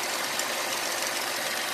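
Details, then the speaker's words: 2008 Ford Fusion 2.3L idling with a steady airy hiss from a small vacuum leak under the intake, setting code P0171. The leak is suspected at the PCV valve or hose and is traced with brake cleaner and short-term fuel trim. "hey y'all i don't know if you can hear it but we have a small vacuum leak coming from somewhere"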